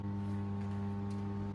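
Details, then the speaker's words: 120 V 60 Hz microwave oven run on 119 V 50 Hz from a generator through a plain step-down transformer: loud steady low buzz and harsh rattle as internals and outer case vibrate violently; voltage sags to 110 V. "As you can hear, there are loud noise vibrations coming from the microwave oven's outer case. The internal parts of the microwave oven are vibrating violently due to 50 Hz input power."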